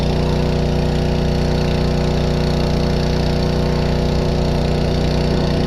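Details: Two-stroke small engine after new fuel line and reconnecting the throttle cable on the carburetor: even, steady drone holding constant speed with no stumbling or surging; running healthy.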